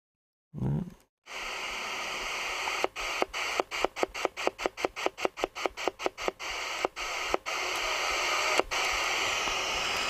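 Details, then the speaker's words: Sony radio on the bench with no aerial and a possibly loose power cable. Hiss fades in after switch-on and slowly swells to a steady rush with sharp clicks: suspected capacitor charging slowly, cause not confirmed. "strange it sounds like a capacitor not not charging up you know and then it's gradually charging and"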